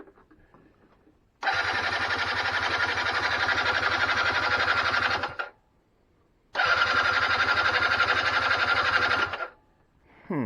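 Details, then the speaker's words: 2006 Keeway F-ACT 50 scooter, premixed fuel, being revived after long storage, starter fluid used: two fast, even starter bursts of about four seconds each, engine never catches; spark not yet checked, possible no spark; crank no-start. "i don't know if that's doing it because see how that's all bubble in there that means probably not the right spot to hook that into probably got no spark too"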